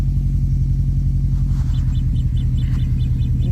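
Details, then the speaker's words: Subaru Impreza WRX STI Hawkeye idling soon after cold start, fault code cleared: deep steady idle with a faint high chirp repeating several times a second; annoying unidentified sound, source not traced, engine otherwise running spot on. "That's so annoying, whatever that is."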